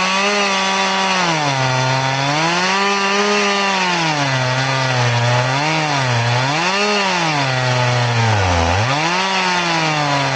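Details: Crosscutting with a chain filed to 10 degrees: the saw holds a high buzz but sags and recovers repeatedly in the cut. The shallow filing angle makes it slow-cutting though smooth.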